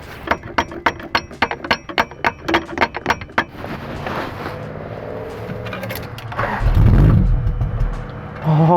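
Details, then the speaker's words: 1982 Celica Supra, first start attempt after a blown fuse was fixed: cranking clicks about three per second, then a loud sustained spinning whir as the starter gets stuck engaged. "it's time to make her spark kidding me starter just got stuck"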